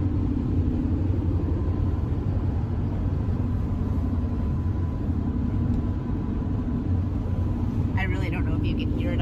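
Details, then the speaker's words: Winnebago Revel 4x4 van driving: steady road and engine rumble with a little wind, no rattle from the slider door window, which now stays quiet with the window shade left up. "here but i hear nothing back there's a little bit of like wind no rattle"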